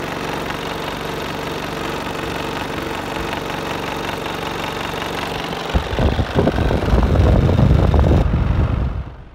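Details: Worn fan motor bearings in an LG split air conditioner indoor unit, heard before bearing replacement: a steady hum, then heavy uneven low rumbling and knocking that swells and fades.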